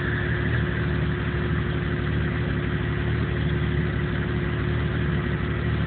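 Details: 1997 Jeep Cherokee with no trouble codes that won't idle right and dies under power; low idle that wavers and stumbles irregularly with a faint steady whir behind it. Rough idle, cause not pinned down.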